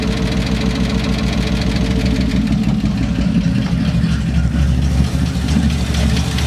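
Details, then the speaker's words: 1972 Ford F100, unrun over 10 years, just started after tapping the carburetor and squirting fuel in: lumpy, uneven V8 idle with stumbling low pulses; rough running from a gummed-up, poorly metering carburetor. "It's idling. I mean, it's idling rough, but it's idling. It's gonna run off of whatever's in the carb right now and probably die off."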